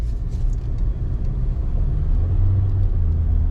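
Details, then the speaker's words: 2015 Toyota Corolla on a test drive after front brake pad replacement: only low road and tire rumble while rolling and braking, with no squeal or grinding; quiet brakes. "I don't hear [Music] that oh yeah thousand times better guys if you remember if you heard the um sound from the brakes listen quiet as can be"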